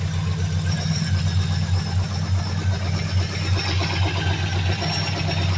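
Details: 2003 Mercury Grand Marquis LSE with 5.4 3V swap (11.7:1 compression, Trickflow heads, Stage 3 cams, long-tube headers, Melling high-volume oil pump) at lumpy V8 idle with a faint repeating knock; owner says rod knock.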